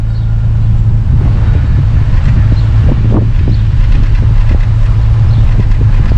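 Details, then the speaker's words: Chrysler 300 after PCM replacement for a fuel injector circuit stuck on, which had loaded fuel and smoked: low idle rumble at the tailpipe with an uneven pulse and occasional stumbles, a slight miss remaining while warming up; suspected fouled spark plug, no longer smoking. "That's pretty bad. Still has a little miss at idle, but I think it's trying to go away. I think we just need to replace that spark plug."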